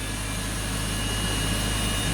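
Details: BMW X5 with a misfire history and bank 2 lean reading, first start in the morning: steady, even idle with low constant hum, no stumbles; MAF and injector pulse readings match, normal idle, though a slight misfire briefly returns afterward.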